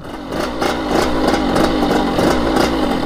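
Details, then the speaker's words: Kawasaki KX80 two-stroke with KX100 99cc big-bore cylinder, after new head gasket and JB Weld-repaired, sanded head fixed coolant leak; crisp revs climbing and falling in quick blips, clean, no misfire or rattle; runs flawlessly, jetting could be tuned slightly more. "it's running like really crispy man it sounds really good I'm happy with"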